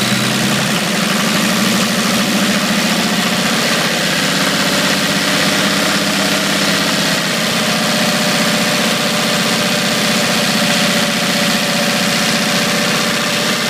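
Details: 1980 International Scout II with factory Nissan SD33T turbo diesel, first run after rebuild, cold idle: steady, loud, hard clatter over an even low rumble; owner unsure whether the cam is the cause.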